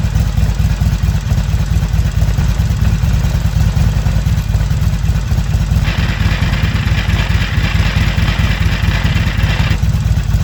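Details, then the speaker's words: Harley-Davidson XR1200 after replacing the primary chain tensioner, set to half-inch slack: V-twin loping idle with some normal valve-train rattle, no grinding from the primary; fixed. "of course the engines are a little noisy and rattly and that's just part of them but don't have that grinding sound in the primary anymore so I'm a happy man"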